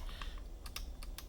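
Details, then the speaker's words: Prototype magnetically stabilized spacebar on a numpad: sharp clicks on each press because the poorly bent wire slips out of a clip that isn't low enough. Planned fix is a less tolerant or further-protruding clip. "Oh, you know what that is? That's my terrible bend. See how it's coming off Was my little clip isn't low enough. That's what that sound is."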